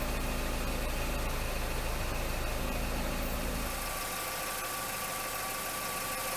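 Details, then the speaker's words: Vehicle with P0420 catalyst efficiency below threshold bank 1 code, idling while tailpipe is partly blocked with a damp rag to check for exhaust leaks; steady, even idle softening as tailpipe is blocked, no puffing or ticking, no leaks found. "there doesn't seem to be any leaks now we need to check the catalytic converter"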